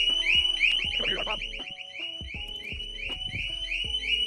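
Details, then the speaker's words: 2021 Harley-Davidson LiveWire with the separately bought security siren module installed, bike moved repeatedly after the audible warnings: loud warbling high-pitched siren sweeping rapidly up and down; security alarm siren. "Well, now it's gonna give you a couple warnings, audible warnings first. And then if you keep moving it, it's gonna go crazy."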